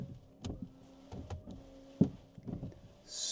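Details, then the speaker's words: 2020 Mini Cooper rebuilt after crash damage, washer bottle replaced, tested from inside with door shut: short wiper motor whirs and soft sweeps, then a hiss of washer spray; normal washer and wiper operation. "I'm going to check the wipers and the washers work correctly. So that's wipers. Yes."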